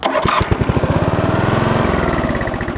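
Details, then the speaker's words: Riding lawn mower that won't start, starter solenoid jumped with a screwdriver, brake engaged, neutral, blade off: strong, even chug of the starter spinning the engine at steady pace; starter cranks healthily, fault lies elsewhere. "golly gee it's not the starter holy crap what do you know"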